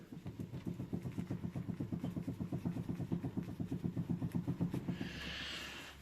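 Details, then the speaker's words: Mercedes Vito 639 van: dull, fairly regular knocking about four a second felt in the steering wheel over potholes, persisting after both tie rods were replaced; play in the steering shaft universal joint. "так vіто vіто 639 значить на ходу по ямах такий стук дребесх в руль віддавався"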